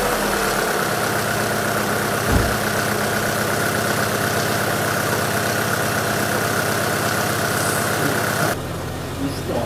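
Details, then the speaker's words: Alfa Romeo 166 2.0 TS at idle after a sump-off diagnosis: light, even knocking at about 160 a minute. No serious play was found, only one flaw on a shaft, but the noise is confirmed to come from the engine; teardown is next. "но звук идёт с мотора это 100% так что дальше нас ждёт вскрытие"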